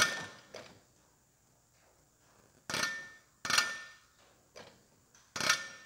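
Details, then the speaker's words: Aftermarket Bareco B16 Perkins diesel injector for an MF135 6-speed, on a hand pop tester at about 2,800 psi with no nozzle leakage; sharp crisp chirps on each slow lever pump, fuel atomizing with a good spray pattern. Healthy injector spray chirp. "and can you hear that chirping that that chirp just going slow that's the fuel atomizing that's what you're looking for"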